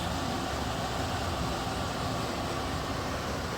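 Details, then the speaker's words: Ideal-Air industrial dehumidifier model 700897, 180 pints/day, previously producing no water, restarted after repair with no sparks this time; steady even hum with airy rush, no knocks or rattles; runs normally and soon drains water. "I heard something go, meh, and it's running. I don't know if it's working, but it's running."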